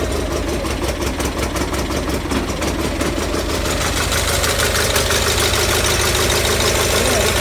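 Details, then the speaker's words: Gravely 817 Onan CCKA engine running after new-style starter fitted, shroud off: steady even idle with no clashing from the starter gear, which retracted well clear of the flywheel; sounds healthy. "Yeah, we should be good. I didn't hear it hit once, and I could see while it was running that the gear was retracted very far away from the flywheel, so I think we're in good shape."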